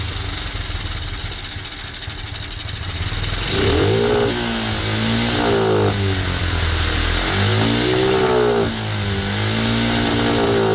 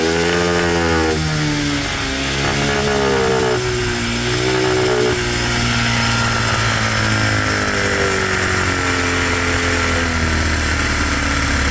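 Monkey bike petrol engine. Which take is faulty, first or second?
first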